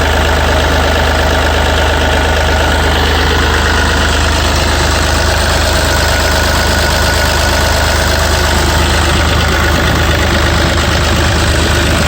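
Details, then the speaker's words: Yanmar 3TNV88 three-cylinder diesel in a Yanmar C30R idling after replacing the primary fuel filter water separator element and purging air: steady even diesel clatter, no stumbles or knocks, no leaks found. "Let's turn the key to the on position. We'll hear the electric lift pump on. Yeah. Let's crank it over and fire it up."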